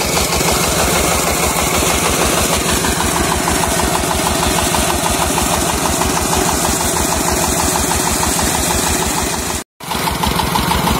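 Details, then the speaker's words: New Dongfeng 16 hp single-cylinder diesel driving a new 6-inch pump, water 4 m deep: steady chug about three beats a second, holding even speed under pump load with no knocks while giving a large water jet; normal running. "Oh ini sampai kalau dilihat didengar dari bunyinya sampai tetapi itu semburan airnya itu besar sekali temen-temen"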